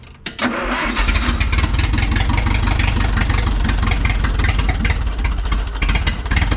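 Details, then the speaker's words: Neglected carbureted forklift after a spring was tightened, in neutral: cranks and catches within a second, then a low, somewhat lumpy idle; idle speed too low, fixed by raising the carburetor idle adjustment. "I need to idle it up now I got to put the camera down to do this so I had to put my camera down there's a little adjustment on the carburator to idle it up all I had to do was idle it up a little bit"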